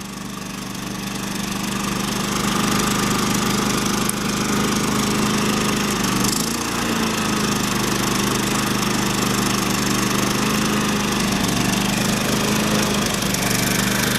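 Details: New generator during break-in, run in econo mode with a light on a power strip switched on and off as load. An even, steady drone with one brief sag as the light switches, then a clean recovery; healthy running under load.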